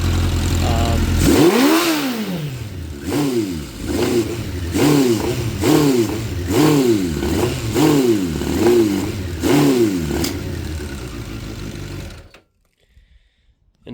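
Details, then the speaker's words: 2006 Suzuki GSX600F Katana after a carburettor cleaning, with the mixture screw turns guessed: throttle blips rise then sag and the engine hesitates and won't rev, with backfires. Owner suspects it is too lean and plans to try 2¼ turns out. "now it uh it won't go it seems like it's uh getting too lean right now uh it did it did backfire again"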